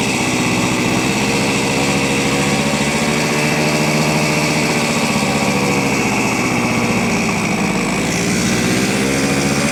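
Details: 1970 Suzuki T350 Rebel two-stroke twin, long stored, just started on choke after carb cleaner: high, buzzy idle with slightly uneven beat; owner unsure the left cylinder is running, possible misfire, not confirmed.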